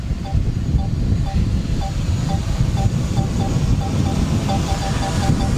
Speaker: ihr hört schon am Piepen hier und ihr seht es vor allem hier im Bildschirm da wird ein Hindernis erkannt das heißt also das funktioniert